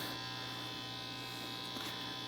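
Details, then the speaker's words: RCA 66X1 tube radio after capacitor replacement: with a mica capacitor disconnected, the popping and crackling is gone, leaving only a faint steady mains hum; that mica cap identified as the crackle culprit and needs replacing. "there is no more popping and cracking the mica cap has been disconnected that is our culprit"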